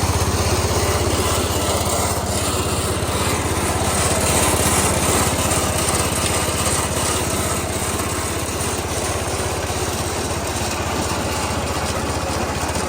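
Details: Massey Ferguson 16 garden tractor with old Kohler single-cylinder engine, revived after sitting since about 2013 and fitted with a replacement aftermarket ignition (33-393): steady, even fast putter with no misses, knocks or surging; running healthy.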